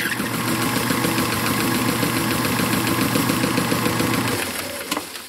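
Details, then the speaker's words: Circa 1919 Hjorth lathe driven by a half-horsepower electric motor with a newly made belt, while cutting aluminum: steady rhythmic slap about three and a half beats a second, jerking when the belt rides a bad spot on the pulley. "every once in while the belt fill goes on a part of the pulley that it doesn't like and I jerks back to wear it I usually ride the night it makes all sorts of noises"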